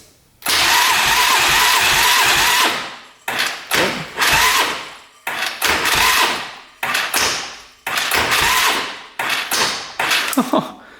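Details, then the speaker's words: 1997 Polaris Magnum 425 6x6 ATV, free non-runner, cranking on the starter during a compression test after valve clearance adjustment at top dead center: even strong pulses, compression rose to 190; a tight valve, not a bent one, was the problem. "it shot way up see what happens wow okay 190 so the valve was just tight"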